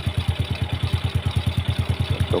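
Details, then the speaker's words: Yamaha Jupiter Z after the clutch knock was fixed with an added ring (shim), before the clutch cable was reattached; the clutch was found adjusted too tight. Crisp, even idle at about nine beats a second with no clatter: normal idle. "Nah, si motornya ini halus kembali ya, tidak seperti tadi."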